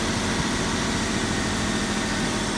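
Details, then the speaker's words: Toyota 4Runner on its second startup after a full donor engine, transmission and wire-harness swap, running with no airbox: a loud, rough, steady idle held a bit high with a raw intake rush. The missing airbox is blamed. "Got a donor truck. No airbox. That's where it's a little bit high idle."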